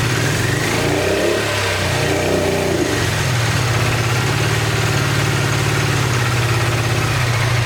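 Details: 1986 Honda VT500 Shadow V-twin, long-stored: ragged, lumpy revving with the rear cylinder not picking up; owner believes water building up in the airbox is shorting the rear spark plug.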